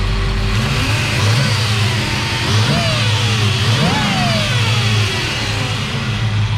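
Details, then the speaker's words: 1970 Chevrolet Chevelle 350 V8, automatic, serpentine belt conversion, headers, dual exhaust: revving with thin whine rising and falling with revs from power steering pump. "Powered steering was whining, but that being said, this is a nice setup."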